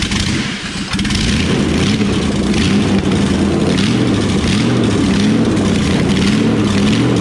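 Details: C10 truck that sat in a field 20 years, 350 engine installed, no transmission cooler lines connected: catches after a stumble, then revs loud and rough with some clatter, running only on starting fluid.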